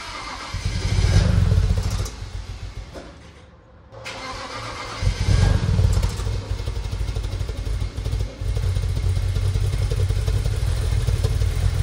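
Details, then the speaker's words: 2008 BMW 335i, N54 twin-turbo, at first start after reassembly and intake valve carbon cleaning: rough, very smoky start settling into a lumpy, stumbling idle with irregular low thumps, sounding like misfires on several cylinders. "oh my goodness what a first start that think sounds terrible"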